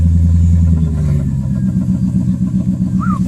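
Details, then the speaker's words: 2002 Mercedes S430 V8 with 273,807 miles fires up and revs with a quick, uneven puffing tick riding on the exhaust note; exhaust leak. "so what I'm going to do is I'm going to start this up so you can hear the awesome exhaust leak"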